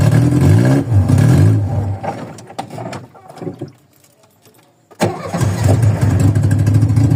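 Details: VW Voyage cold start after sitting many days, worn old mechanical parts: uneven, lumpy idle fades and stalls, short quiet gap, then cranks and restarts into a shaky rough idle while she tries to warm it up.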